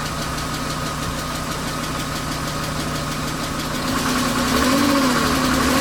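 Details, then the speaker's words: BMW 328i E36 inline-six, 154,000 miles, bought cheap with suspected blown head gasket, first start: light quick ticking about four per second over steady idle, no white smoke; owner suspects needs an oil change. "i don't see any smoke coming out see any white smoke can't gasket but other than a little tick tick which probably needs to oil change or something"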